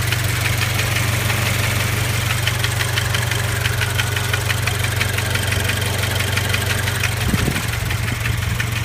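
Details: Scion FR-S/Subaru BRZ/Toyota GT86 around 70,000 km, only after about 20 minutes' driving when fully warm: light fast ticking rattle about three a second over idle; vacuum pump, replaced and fixed.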